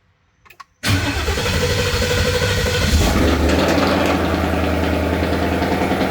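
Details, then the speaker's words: Datsun 240Z with Coyote V8 swap, first start after 1 year 8 months of work, oil and fuel confirmed: brief crank, catches right away, settles into a loud, steady V8 idle with an even lope; healthy start. "Okay, so now that I know that it runs, let's start testing some stuff out."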